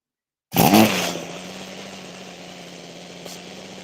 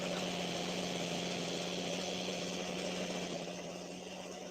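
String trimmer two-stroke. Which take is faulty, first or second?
second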